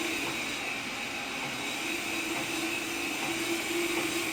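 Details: Shop bandsaw running: a steady whir with a constant mid-pitched tone and faint high ring, no rubbing or clatter; normal running.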